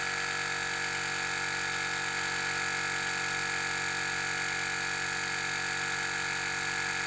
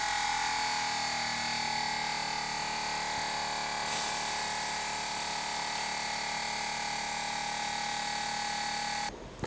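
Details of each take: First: 2017 BMW 5 Series F11 with both rear air springs already replaced, compressor commanded by scan tool. A steady, even buzzing drone that never changes pitch; the car does not rise and no leak is heard. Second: 2017 BMW 5 Series (F11) air suspension, newly installed replacement air compressor on a pressure gauge after rear air springs failed to fix low rear: steady electric whir, even high tone under load until switch-off; reaches 10 bar (145 psi); normal compressor operation.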